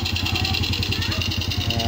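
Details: Suzuki Raider J110 carbureted single, after valve clearance check and carb tuning: steady even idle with regular exhaust pulses, no misses, knocks or hunting; engine smokes somewhat.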